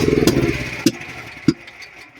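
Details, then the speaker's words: Duromax generator running on propane (gasoline valve off, fuel selector on propane), hard starting: rough running fades, two sharp pops about half a second apart, then it dies; backfiring before stalling. "So here's some backfires on there, and it's shut down."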